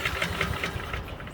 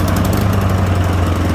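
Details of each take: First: Honda HRN 216 push mower not starting: a quick recoil pull chuffs a few times at about five beats a second then fades without catching; a wet spark plug is the suspected cause. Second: Honda HRN 216 push mower that wouldn't start, fixed again; fires and settles into steady, even single-cylinder putter about four beats a second. Normal running.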